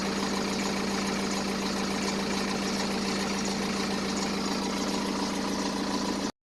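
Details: 2010 BMW 118d E87 N47 diesel, 178,000 km, steady idle with fast even tick about four per second over clatter; suspected timing chain, but on teardown chains and sprockets were fine, source unknown: idle rattle.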